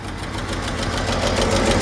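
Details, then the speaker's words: 1953 Chevrolet 5-window pickup, six-cylinder idling: sharp, rapid puffing tick where the exhaust pipe meets the manifold from a blown donut gasket, air felt escaping; fix is tightening or usually replacing the donut; solid lifters also click. "So yeah, where the exhaust attaches to the exhaust manifold with the pipe, the donut there is blown out. That's not uncommon."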